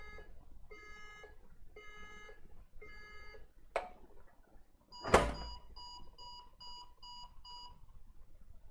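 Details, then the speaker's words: HP ProDesk at power-on: five slow long beeps, a clatter, then seven quick short beeps; re-seating the RAM did not change it, and it points to a failed PCH chipset on the motherboard. "so five long beeps and then seven short peeps"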